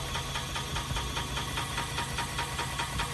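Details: Rebuilt BMW 318 after differential change, driven through gears up to sixth: steady knock about two and a half times a second, regular with wheel speed, wheel appears to wobble; suspected missing bolt, unconfirmed.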